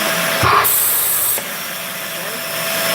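Even motor hum and steady airflow hiss with no rattle, squeal or scraping; the upright vacuum sounds healthy at the base.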